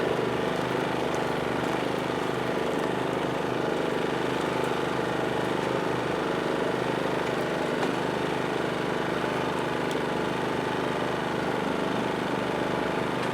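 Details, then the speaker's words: PowerSmart 2350W inverter generator running an 850-watt toaster outdoors: steady, even engine drone holding speed, no surging or hunting under load; normal running under load. "so that you can actually hear the generator ramp up so let's go plug this in and make some imaginary toast and see what the generator does"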